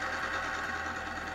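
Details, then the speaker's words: Bicycle chain on a lubricant testing machine, freshly lubed: a steady, fast mechanical whirr with a fine, rough scrape for a second or two before it settles. Break-in scraping before the lubricant film forms. "you can hear the big difference though right it had that little scraping for just what a fraction of a second or a couple of seconds uh it's pretty much found it's uh yeah it's happy spot"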